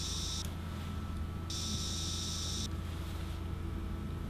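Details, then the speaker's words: Mid-1970s Fender Jazz Bass vintage single-coil pickup: steady low mains hum under the bass with a bright buzz switching in and out when one coil's exposed pole pieces are touched, because coil winding direction leaves one set of poles noisy. "so what that means is that no matter how you wire this pickup you always end up with one set of quiet pole pieces and one set of pole pieces the buzz"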